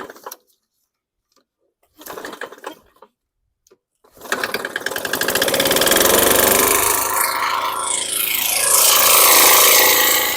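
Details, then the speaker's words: Honda mower, possibly used commercially, first start after priming with no air filter fitted: it catches and runs rough with a hard, steady banging about four times a second. Owner suspects a connecting rod bearing, oil blow-by and possibly low compression, and hears metal on metal. "So it sounds horrible. I think this thing might have been used commercially. It's just got a lot of banging, connecting rod bearing, bang."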